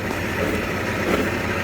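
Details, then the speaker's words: Toyota 4Runner on a lift, wheels spinning, stethoscope on the rear differential and pinion: even, steady hum with no growl, whine or knock, so the diff is normal; the growl is from the right rear axle bearing. "if I go with a stethoscope here, it sounds normal. You don't hear anything abnormal. If I go here, which is the pinion, it sounds normal."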